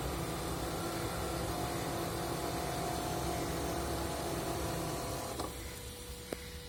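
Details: 2015 Toyota Prius Alpha, 91,000 km: steady whirring hum with held tones that cuts out near the end; AC compressor loud, noisier in very hot outside temperatures, cause unknown.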